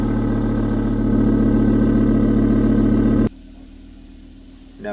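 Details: Volvo V70 at idle after an exhaust pipe hole was patched with exhaust repair paste and cured overnight: a steady, even, low smooth exhaust note with no puffing, ticking or blowing. The leak is sealed and it sounds healthy.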